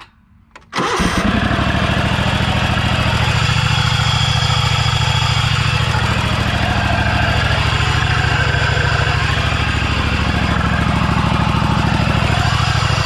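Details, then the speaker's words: Scag V-Ride mower project, deck removed, engine started hot and loud: steady single-cylinder running with faint extra whirring like a bad bearing; owner unsure if engine bearing, will remove clutch to check. "I'll know if you guys can hear that but it's kind of like a sound like not just the engine running but like an extra sound like a bearing sounds like a bearings going bad"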